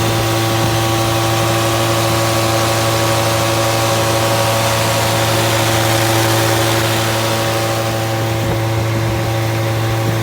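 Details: Fully rebuilt Triumph Spitfire 1500 engine on run test, electric fuel pump, about 1000 rpm idle, oil pressure 75-80 psi, not yet fully hot; steady smooth unbroken exhaust note, no knocks, misses or ticks; normal healthy idle.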